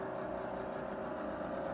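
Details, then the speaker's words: Vintage Arvin instant electric fan-forced heater found dusty in storage, now running but not on high, some sparks seen, needs cleaning. Steady even hum with constant mid-pitched whine, no knocking; fan motor spins freely after long storage. "the fan in this thing actually works and it's putting off a lot of heat and that's not even on high"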